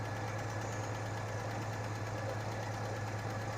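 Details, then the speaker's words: 1986 Chevy S-10 2.8L at idle with oil pressure over 70 psi: a light, regular tick about twice a second, oddly in sync with a misfire. The owner suspects a rocker arm fell off, not confirmed. "sometimes the misfire and that noise seemed to be oddly in sync sounds like a rocker I fell off makes sense"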